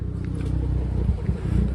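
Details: Dodge Charger with the check engine light on and a cylinder 6 misfire code: a low, loping idle with a regular stumble breaking the firing rhythm, a dead cylinder.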